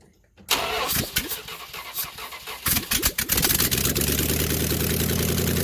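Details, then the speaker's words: Dodge Ramcharger big-block Mopar 400 V8 with old exhaust cut off before header install, running with no exhaust at all: starter churns, then loud raw bark at idle, gas squirting from open ports. "Now what we'll do here is, just for fun, let's see how it sounds without any exhaust on it at all. You want to hear what it sounds like? All right. That was loud."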